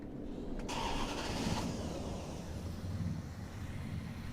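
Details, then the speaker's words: Crew cab Charger with distributor ignition, coil unverified: short crank, then engine catches at once into a steady low rumble; starts promptly, though motor and ignition wires visibly jitter slightly at idle. "See? Fires right up. Not bad."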